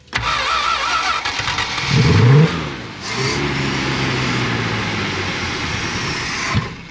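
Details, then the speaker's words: Old junkyard car engine cranks slowly, catches roughly after retries, then runs steadily but unevenly. The engine is suspected flooded and the carb appears to be sticking and needs opening up; nothing was done to the carb. Hard start. "yeah it might be flooded might have to sit for a second"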